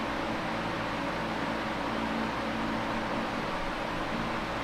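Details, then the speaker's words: Late-1970s Canadian Super 16-inch oscillating fan with blue blades and safety grill, before restoration and servicing, on medium speed: smooth even white-noise rush of air over a soft low bassy rumble, no motor whine or blade flutter; runs normally. "the sound that it does produce is very pleasant to listen to a lot of white noise and it's got a little bit of that low pitched uh Rumble underneath it I like the Bassy sound"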